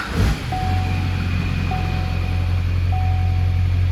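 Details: Built Duramax diesel truck (S&S 100-over injectors, 40% over CP3, built bottom end) that sat five years in a barn fires quickly and settles into a steady, even idle with a low drone and no knock or misfire; healthy.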